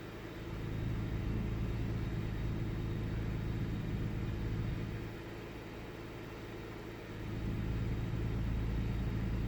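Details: 1998 Ford Taurus SE V6 OHV with an intermittent rough idle: a low uneven rumble that sags for a couple of seconds then recovers. Restarted after about 10 seconds off, with no significant change.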